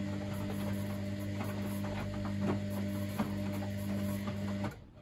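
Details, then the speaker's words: Street-found Baumatic BDI1485D4E integrated washer dryer (8 kg wash/5 kg dry), test wash after the drum first failed to turn: steady low motor hum, soft whirr and faint regular thumps from the turning drum, then it stops; ran happily for 10 minutes. "it just seems to be quite happy for 10 minutes"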